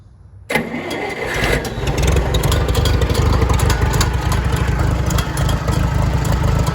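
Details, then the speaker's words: IH 424 gas utility tractor at start-up, rebuilt starter, large bore carburetor jet making it smoke more; runs rough and lumpy with loose uneven metallic clanging from the exhaust rain cap flapping until the engine smooths out. "forgive the rain cap, it's making the clanging sound, but once it smooths out, it will stop."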